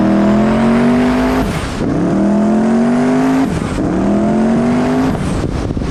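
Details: Mustang built for Pinks drag racing at Rockingham Dragway, test hit: engine note climbs steadily then drops out abruptly at the same point on each of three pulls. Car shuts off every time it gets into boost; suspected boost cut, unconfirmed, no log data.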